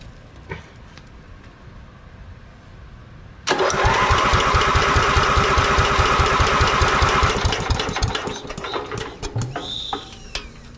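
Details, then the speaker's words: Lincoln welder-generator with a Briggs & Stratton 16 hp engine, first run on choke with a Chinese replacement carburetor: catches and settles into a fast, even beat, then hunts and dips. The auto/high idle solenoid needs adjusting; governor should hold 3,600 rpm. "all right she does run I'm gonna have to do some work on adjusting the solenoid for the it's called I think it's called automatic idle and high idle"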